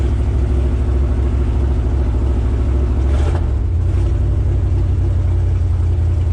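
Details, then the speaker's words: 1972 GMC ramp truck, 454 Chevy big-block revived after 27 years sitting, 1989 mufflers, dual exhaust: deep steady rumble climbing and settling evenly with the throttle, no knocks or rattles; revving sounds healthy. "Those $35 1989 mufflers don't sound too bad, do they, Duff?"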